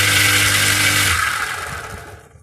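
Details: Submersible pump repaired after a short circuit, tested on power with no load: a loud, even motor roar with a steady low hum runs about a second, then coasts down smoothly; the repaired pump motor sounds healthy.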